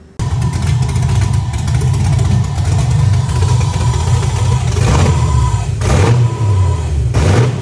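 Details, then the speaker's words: 1987 BMW E30 M3 with a fully built Corvette LS1 V8 swap, first start-up; deep, loping rumble settles to a slightly low, lumpy idle that needs raising (set to 1100 rpm, plugs then fouled). "So as you can see, this thing runs, it sounds amazing. The idle is a little low."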